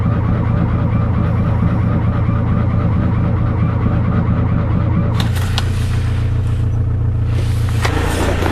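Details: Fiat 126 cold start attempt after sitting since 18 October: starter churns steadily for several seconds but engine never catches, crank no start; owner suspects spark plugs or ignition coil, unconfirmed.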